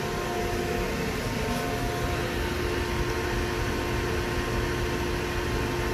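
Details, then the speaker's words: Hyundai Galloper LPG vaporizer engine after no-start repair: steady, even running hum with a constant drone and no misses or knocks; engine back to normal. "정상으로 돌아왔습니다"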